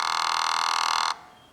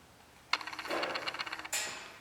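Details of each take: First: 5.3L LS truck engine on MegaSquirt 2, stepper idle air control valve commanded to home position without holding current: steady high-pitched electric buzz about a second, then cuts off as the valve bottoms out against its end stop. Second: Idle air control stepper on a MegaSquirt 2 running a 5.3L LS truck engine, engine off: short fast ticking buzz of the motor moving the plunger toward fully open idle position, then clicks; normal valve travel.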